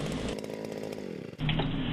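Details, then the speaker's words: Wick 100G ultra lightweight fire pump two-stroke engine idling at least a minute to cool before shutdown; steady buzzy idle with even beat, brief dip in level; normal idle. "when you're ready to shut down the pump an idle period of at least a minute is important to allow the engine to cool [Music] down"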